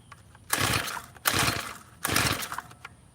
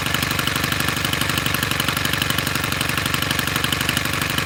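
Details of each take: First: Tiller small engine during carburetor screw adjustment (carb screw backed out a quarter turn): three quick pull-cord rips, each a whirring spin with no catch or firing; cranks but won't start. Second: Tiller small single-cylinder engine, previously not running, started after carburetor screw adjustments: even fast idle thump on choke with no stumbles; normal running on choke.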